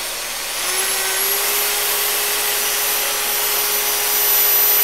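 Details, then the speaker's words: Used Makita 9227C polisher after repair (new grounded plug, wool fibres cleared from air intake): spins up to a smooth, steady hum with a faint high whine and no grinding; owner unsure if remaining slight noise is normal, much better than before. "I think there's a little bit of noise I don't know if that's normal or not but basically it's a whole lot better than it was"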